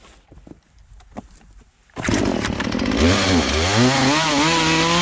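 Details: Poulan Pro two-stroke chainsaw, sat unused about three years, after carburetor adjustment, cutting small trail-size logs; screams at high revs, pitch dipping and recovering evenly as it bites, no bogging; properly tuned.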